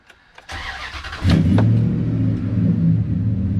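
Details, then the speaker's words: 2003 Dodge Ram 1500 Hemi V8 at 412,236 miles, started after tune-up and MAP sensor refit: cranks, catches, settles into steady low idle with slight unevenness; idle still drops low despite throttle relearn, cause not confirmed. "so the reason I got into this was the idol still drops down low which was the original reason why I got into the throttle relearn"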